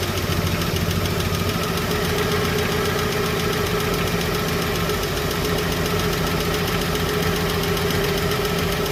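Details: Chevrolet 235 Blue Flame six, ticking started after a 10–15 mile drive, valve being backed off during adjustment: fast sharp metallic tick over steady idle, from one loose rocker/lifter before valves set.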